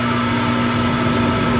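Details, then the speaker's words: Jacuzzi tub jet pump motor that only hummed because it was stuck, freed by turning the shaft by hand: now runs normally with a steady hum near 200 Hz and even water rush. "you hear it can on and we look over the top and it is now working so it's a quick fix and it's much better than replacing the motor for your hot tub pull or jacuzzi jet"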